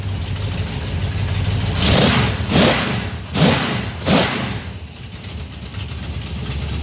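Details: Small-block 307 V8 with FiTech EFI, deceleration IAC changed to −20. Three quick throttle blips, each time the revs sag slowly and hang before settling; still not fast enough, a slow return to idle.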